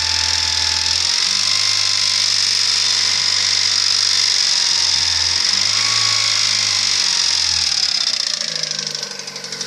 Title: Стук двигателя приора